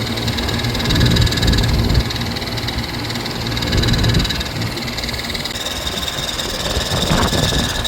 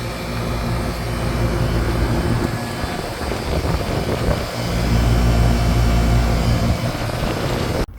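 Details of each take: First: AC outdoor condenser unit whose fan motor had been replaced twice recently, possibly with the wrong motor; about 110°F in Southern California. Rough, uneven drone with rumble and rattly vibration that surges, and the sound changes when the motor is pressed. The fan motor is probably worn. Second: AC condenser fan after replacement with a 3-wire OE motor, hanger bolts refitted: steady even whir and constant low hum, no rubbing, ticking or wobble; new fan motor running smoothly and quietly.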